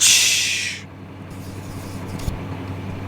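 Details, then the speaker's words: 1038 at shutdown: sharp hiss of air under a second, then low hum, is the air brake setting, normal whenever the machine is shut off. "There is an air brake on the 1038s. That's why whenever I shut one off, you can hear"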